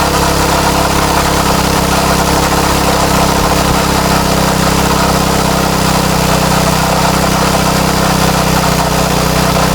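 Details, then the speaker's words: Craftsman tiller with a Tecumseh Eager-1 engine: steady, even buzz at high speed with no surging, sounds pretty good. High speed seems slightly high, so it is being backed out. Normal running. "oh that actually sounds pretty good let's see high speed seems a little high"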